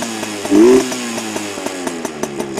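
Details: Heavily modified Yamaha PW80 two-stroke with FMF mods, idling around 2,300 rpm: quick crisp throttle blip climbs and falls fast, then settles to even ticking idle; healthy free-revving.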